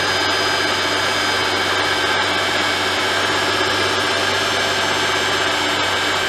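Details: Mercedes-Benz M272/M273 V6/V8 (S211 E-Class) cold start: loud, fast diesel-like rattle over a steady hum at idle, from low oil pressure due to a failed oil pick-up tube O-ring.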